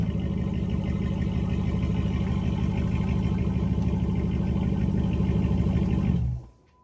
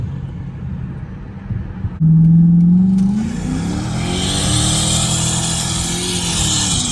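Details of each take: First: 5.7 Hemi (Dodge Charger/Chrysler 300) idling: steady V8 rumble with fast chuffing tick on each exhaust pulse; exhaust manifold still leaking despite new gasket and tight bolts because the manifold is warped, to be resurfaced. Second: 5.7 Hemi Dodge Charger/Chrysler 300 at startup after the warped passenger-side exhaust manifold was resurfaced and refitted with a new gasket and replaced broken bolts. Engine catches, revs once, then idles smoothly with no ticking or puffing: normal idle, no leak.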